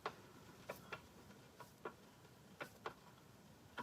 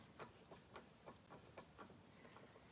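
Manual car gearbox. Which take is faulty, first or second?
second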